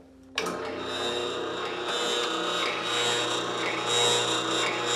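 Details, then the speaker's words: New Ridgid R4840 oscillating belt/spindle sander, spindle installed, starts and runs with a harsh rattly buzz over motor hum out of the box; cause was a loose table lock bolt. "hear that the annoying rattly buzzing noise came from and it's what's called the table lock bolt"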